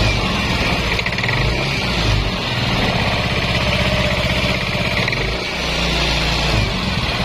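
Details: Yamaha Nmax scooter after repair of a wiring fault that caused crank-no-start: steady low putter at idle with an even beat and no misses, hunting or rattles; idling properly.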